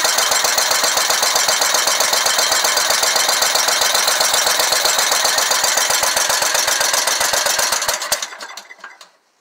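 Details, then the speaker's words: Scag Tiger Cat II zero-turn mower, Kawasaki FX691V, oil overfilled and flooding with gas: uneven popping about four pulses a second, then it chokes and dies; running on one cylinder, and the number two cylinder pushrod was found fallen out. "as we pulled the number two cylinder valve cover off and looky there Mr push rod fell out so that's definitely one issue uh that might have a lot to do with it"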